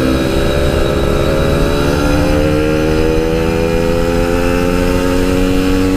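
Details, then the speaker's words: Yamaha RX King two-stroke, riding after fixing high-rpm stutter, recorded through a half-face helmet with wind noise: clean rising wail climbing smoothly, no stutter or misfire; normal high-rpm running. "Nah itu dia tadi guys permasalahan tersendat-sendat di motor ini yang Alhamdulillah bisa selesai"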